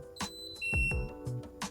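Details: MRCOOL OuttaSight DIY ceiling-cassette mini split in a workshop, whose filter lowers for cleaning: a short, clean electronic beep over a faint steady hum as the unit acknowledges a remote command; working normally.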